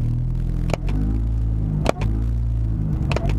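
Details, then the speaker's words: Car with a rattling heat shield that only likes about 10% throttle: floored, the engine revs to under 2,000 rpm with a choppy, stumbling, unresponsive low rumble and brief dropouts instead of a clean rev. "It's revving up to under 2 grand right now. I'm flooring it. Listen to how choppy that is."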